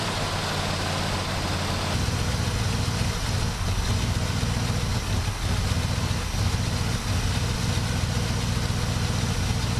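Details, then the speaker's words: 1967 Buick GS340 at cold start: a low, uneven, lumpy idle. The owner says the engine is unhappy with its ignition system, and faulty ignition points were later found and replaced. The remanufactured carburetor's idle circuit was also not flowing correctly. "Cold start time. This thing is just not happy with that ignition system. It's alright. We'll take care of that freaking problem."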